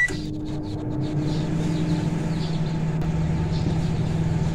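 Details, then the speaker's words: Sparking microwave, test-run for 10 seconds: steady low mains hum, turntable motor even, no crackling or arcing; working normally. "microwave လေးကတော့ပုံမှန်ပဲအလုပ်လုပ်တာကိုတွေ့ရပါတယ်"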